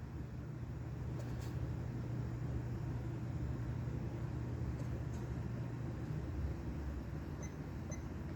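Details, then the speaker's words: Vintage Norcold mini fridge, believed to date to the 1960s, with a Fuji Electric compressor (tag about 20 V, 40 W, possibly DC, running on AC, possibly via a transformer): faint, steady low hum without clicks; normal, quiet running. "It's dead silent though. Once it gets going, you can barely hear it. That's impressive."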